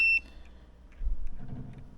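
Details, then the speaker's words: Thermostat wiring on a no-heat call: a short, high continuity chirp, then handling noise. The orange and yellow conductors are shorted, while orange-green and orange-red test fine. "so orange and Green's fine orange and Red's fine so the short is in orange and yellow"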